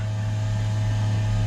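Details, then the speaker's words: Waste tank power ventilation fan newly fitted to a 2015 Tab Max S trailer, heard outside at the side sewer vent during testing; steady low hum, constant tone, no rattles or wobble, blowing strongly; normal vent fan running. "the vent. And you can hear that. This is blowing up a storm out here."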